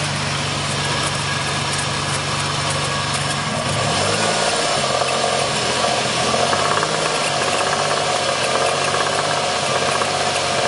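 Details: 1994 Ford Taurus SHO V6 idling with a faint, uneven knock about four a second, which developed about 500 miles after a timing belt change; source unknown.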